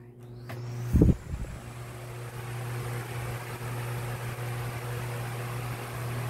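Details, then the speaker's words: Lasko 1820 18-inch pedestal fan (2006), five-blade set, repaired after locked bearings, started on full speed; click on, smooth steady hum and air rush without rattle or grinding, not as quiet as a three-blade set: normal fan operation. "this way is one of the decent air movers but um of course with the five bladed with a five we Blade Set it's it's not going to be really quiet compared to a three wi Blade Set"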